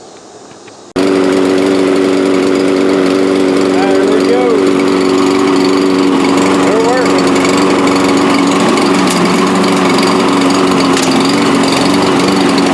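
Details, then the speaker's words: Free Toro self-propelled mower after a traction control cable and fuel cap replacement, pushing through taller grass. Loud, even engine drone holding steady with no misses or surging. The self-propel works; running normally. "Hey, actually pushes right along. Try the neighbor's grass where it's a little tall. Hey, not bad."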